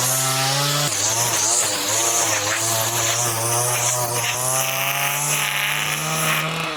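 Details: Line trimmer with Arnetoli F-ONE head at full throttle, forced line breakage against plastic: screaming two-stroke, pitch climbing as cutting line wears short until it breaks and the head swallows it; engine over-revs.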